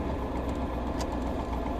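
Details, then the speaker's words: LS7 V8 in S10, during tuning: lumpy but steady idle returning straight to idle when throttle released, no hunting or stalling; smooth return to idle. "It's actually not bad. It doesn't seem to be trying to catch itself when I let off the gas. It seems to just go straight to the idle."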